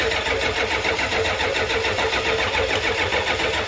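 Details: Diesel skoolie bus after glow plug relay replacement: steady starter cranking at roughly three and a half pulses a second, even and unbroken, but the engine never catches; the glow plug light goes out when cranking, so no start.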